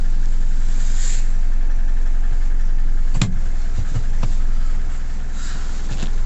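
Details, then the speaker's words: Nissan Navara D40 2.5 dCi diesel, hard start and power loss (codes P1275 fuel pump, P1622), just restarted after fuel priming with possible air still in system: idles with steady low rumble but won't pick up revs, few small catches. "But we're not getting acceleration. Let's just wait a minute, let it idle, and see if it takes a minute."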